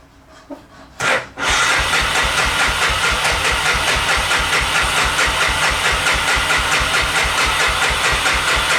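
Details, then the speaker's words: 1988 Honda FourTrax 300 4x4 ATV, sat for years in a shed, old fuel: with choke and fuel turned on, the starter cranks steadily at about two strokes a second but it never fires; owner next plans to check for spark. "She don't want to start. I'm pretty sure there's fuel in it. There's fuel in it."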